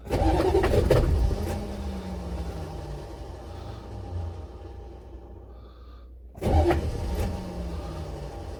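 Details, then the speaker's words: Buick Electra 5.7-litre diesel, cold start after a year sitting, blown head gasket, jump box, plenty of ether, fuel system likely unprimed: slow, uneven starter churning about four beats a second without catching; long crank, no start, owner suspects starter or shim. "ah hey well i'm not having a whole lot of luck here hopefully it'll catch"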